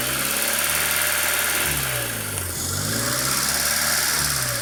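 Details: Honda Civic EU8 with D16V1 converted to D16Y8 intake, engine running: steady sharp hiss riding high above the idle, rising slightly with revs; classic vacuum leak not yet located.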